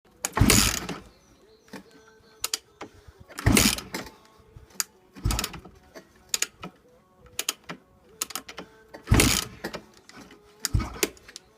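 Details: Yamaha YZ426F with hot cam, won't start: repeated kick-over strokes, each a short churn then silence, never catching; no-start while kicking over.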